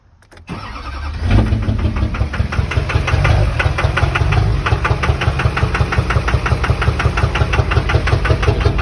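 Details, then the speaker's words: 2003 Duramax 6.6 L LB7 diesel, about 308,000 miles, black smoke while driving: cranks, fires and idles with a sharp regular knock near three a second. Others suggest rod knock or stuck-open injectors 4 or 6. "ute um and it stopped at a stoplight and i heard a knock not sure what it might be a lot of people are saying either rod knock or injectors 4 or 6 are stuck open"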